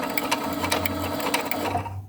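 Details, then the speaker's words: Brother A16 sewing machine winding its bobbin with the foot pedal held down: steady light whir with soft even clicking, then it winds down and stops on its own when the bobbin is full. Normal bobbin winding. "You need to put your foot on the pedal and that will fill your bobbin. And you can keep going until it stops naturally. It will stop when it's full."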